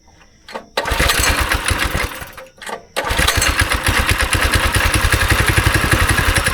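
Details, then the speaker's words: Go-kart engine sitting about 3 years, choke on, carb cleaner, held wide open: cranks, coughs, then catches into an uneven lumpy chug that stumbles and surges; bad gas still in the system, smells awful. "You got bad gas somewhere in your system. Alright. You smell that, right? Yeah. Okay, well, it runs."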